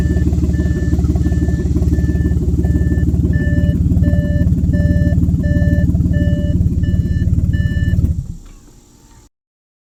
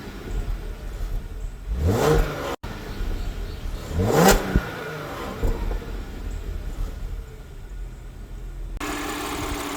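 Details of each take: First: Audi 3.0 TFSI V6 with codes P0133 and P0136 and a bad smell: very loud, deep rumble with fast chuffing from an exhaust leak on the passenger side (bank 1); owner suspected a failed catalytic converter. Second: Audi 3.0 TFSI petrol V6 idling with two quick clean throttle blips; healthy exhaust, no leak ticking.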